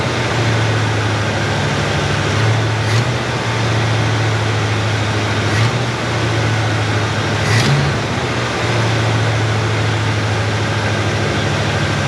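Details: Chevrolet Nova Super Sport V8 at idle after the distributor was replaced with a vacuum-advance unit; choke still needs adjusting, yet good vacuum. Deep, even rumble with no misses, knocks or stumbles: normal smooth idle.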